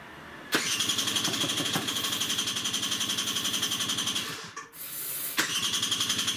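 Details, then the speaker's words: Peugeot Speedfight 2 50cc two-stroke scooter, first run after sitting about two months, on easy start spray, carb and filter uncleaned: loud raspy crackle, sharp popping about four per second and hissing blow-through from a large hole purposely drilled in the exhaust. "oh right i forgot about the huge hole in the bloody exhaust let me show you i'll have to cover that up somehow"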